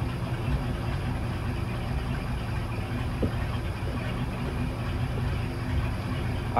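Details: Engine with newly installed Edelbrock 1410 carburetor after a minor choke adjustment (previously too choked up): idles steady and even, no stumble, hunting or misfire; carburetor and choke now sound right.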